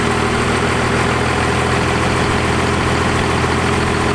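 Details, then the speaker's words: 1st gen Cummins diesel, idle while backing out the fuel adjustment a rotation at a time: steady even idle, constant low drone, no misses, sounding better but not yet set. "sounded a lot better feeling pretty good about it"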